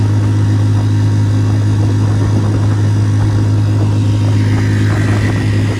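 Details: West Marine PRU-3 inflatable with Tohatsu 3.5 outboard after swapping factory plastic prop for aluminium prop, previously surging/ventilating when planing: steady deep unbroken drone at full throttle, no rising and falling; normal running, surging fixed.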